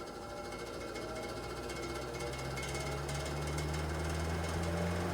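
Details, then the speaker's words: Mid-1950s Fasco 12in 3-speed box fan, model 1246, with venturi ring, running on high: fan hum with a light ticking about three per second and little shaking. Owner suspects loose blades; a dry motor bearing is also possible. "there you go that one's up - hi something makes a little noise in there doesn't shake that much"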